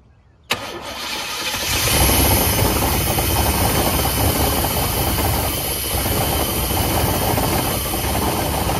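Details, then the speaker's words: 1989 GMC Sierra C1500, 350 small-block V8, auction truck with stuck throttle body: catches suddenly into a rough, uneven run on poured fuel under a loud rushing fan that sounds bad. "I mean I the fan TR it actually doesn't sound good and you said you had 60 lbs of oil pressure"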